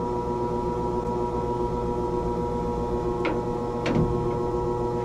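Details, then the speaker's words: Old Rheem gas furnace that quit in winter, troubleshooting transformer and thermostat: squirrel-cage blower fan powered up gives a steady even motor hum, constant tone, no knocking or scraping; blower motor works normally. "okay the fan works squirrel cage"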